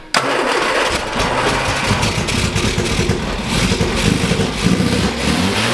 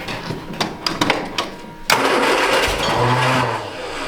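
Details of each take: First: 1967 MGB GT, sat unused, with Pertronix igniter, sputters to life after cranking and runs with repeated rising and falling revs; engine starts and runs. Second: 1967 MGB GT bought as non-running, Pertronix igniter: several uneven cranking bursts, then a brief rough catch that stumbles and fades instead of idling; cranks but does not start.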